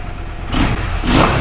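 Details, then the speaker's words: Yamaha V-Star 650 V-twin that wasn't running properly: catches and settles into a steady, even thump with a small rev rise, no misses or knocks; clearing up at idle, oil smoke from rear cylinder, owner thinks oil sucked past rings. "okay it's actually running pretty well I can hear it clearing up as it's just sitting there idling it's cleaning out"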